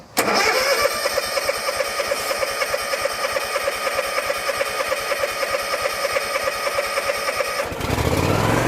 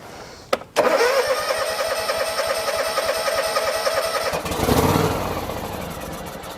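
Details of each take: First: John Deere X324 four-wheel-steer mower that had sat as a no-start, with fuel supply reconnected, full throttle and choke on: steady cranking at about three beats per second for roughly seven seconds, then it catches and settles into an even run. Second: John Deere X324 mower that sat for a while, dead battery, on a booster pack, choke on, sprayed with starting fluid and carb cleaner: cranks, catches and runs rough briefly; fires only on spray, fuel delivery issue.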